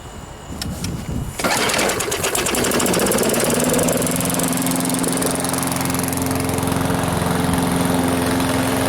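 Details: Free Craftsman lawn mower, previously taken apart and reassembled: it starts at about 1.5 seconds, then runs a steady, even beat under grass-cutting load without stumbling; declared fixed.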